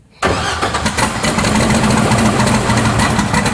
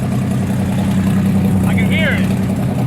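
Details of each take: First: Rotsun race car (turbocharged) before 24 Hours of Lemons, firing up after work to kill an engine noise: cranks, catches and settles into a lumpy but steady idle with no knocking left; normal start and idle. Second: Rotsun race car at 24 Hours of Lemons, backfiring out of the exhaust on decel and running rough on acceleration: deep, steady drone with a raw, loud exhaust edge under load; exhaust leak because the wastegate broke off the exhaust.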